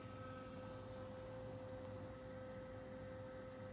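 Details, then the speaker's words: Cummins truck after LED headlight conversion, loose quick-connects reconnected: faint steady tone near 550 Hz with soft whir, no wavering or rattle; the LED bulb's cooling fan; normal LED headlight fan hum. "humming if you can hear it and I'll review the footage is the fan of that led"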